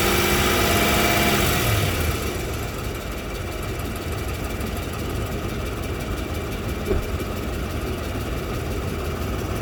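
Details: Toyota Land Cruiser 200, 2UZ-FE engine: steady idle with a light regular knock about four per second on the left side; valves and clutch checked, exhaust manifold welded with new gasket, cause still not found.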